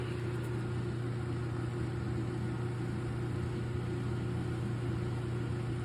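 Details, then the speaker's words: Gas dryer that was not heating, after replacing the gas valve coils, at startup: steady low hum and even drum rumble with no scraping, squeal or thumping while the igniter glows before the flame; dryer running normally. "Now we can see how igniter is glowing. And after like 20 or 30 seconds, we're supposed to be see first flame, which is will be mean the dryer is working right now."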